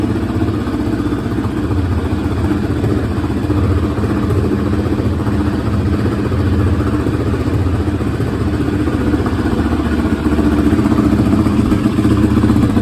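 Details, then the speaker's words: 2017 Yamaha Raptor 700 after a new OEM fuel pump, valve clearance check with the left intake valve adjusted, and fresh oil and coolant: steady single-cylinder thump about four beats a second, even, no tapping or misfire; healthy idle. "sounds good nice item got that v-touch y'all get it again"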